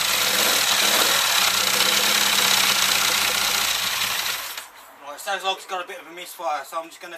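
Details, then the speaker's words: Classic Mini 1380 engine with Piper 649 scatter camshaft, first start: rough uneven running with an irregular stumble, a miss from one spark plug whose gap had closed up. "okay one of the plugs was um closed up a little bit that's what it's missing so i'm just gonna connect it back up now see what happens so"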